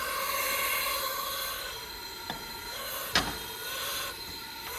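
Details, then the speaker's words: Used aftermarket Chinese turbo wastegate, bench-tested with air pressure after boost oscillation on the car: thin steady hiss with light valve clicks as air leaks past the stem even at higher pressure; wastegate judged failed. "So as you can tell, it's leaking through the stem, leaking through this piece, thus coming out here. So even in the upper levels, it's still leaking. Leaking out there. So I would say that wastegate is toast."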